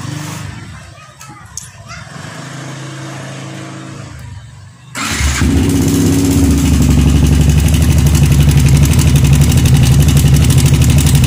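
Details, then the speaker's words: Yamaha R15 motorcycle idling after start: loud, fast metallic ticking rattle that came on suddenly; the cam chain itself was fine, and the cam chain tensioner was not working properly. "Oke teman-teman, jangan terlalu lama-lama karena suaranya sangat ekstrim sekali."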